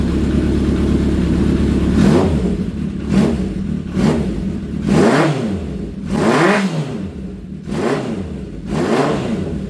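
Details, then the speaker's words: Honda CB750 cafe racer four-cylinder, cold, after a carb rebuild and new spark units; owner says it runs bad when hot. It picks up cleanly on each blip, revs rise and fall smoothly, and it fires evenly with no knocks or misses. "And one more time cuz it's just so good to hear it run. We love it."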